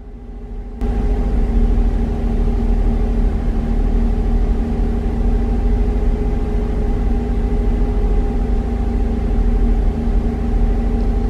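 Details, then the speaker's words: Chevrolet Traverse held at about 1500 rpm with low, uneven lumpiness from a misfire; scanner counts misfires on cylinder 4, with worsening idle and surging while cruising. "now when we look at the data and i go ahead and give it revs you can hear it misfiring rated 1500 rpm"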